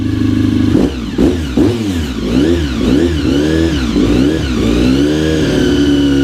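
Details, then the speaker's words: Honda RC45 RVF750 V4 after spark plug replacement (old plugs very bad; injectors tested fine): crisp note climbing and dropping cleanly with each throttle blip, even firing, no misfire or rattle; running healthy. "she is back sounding good"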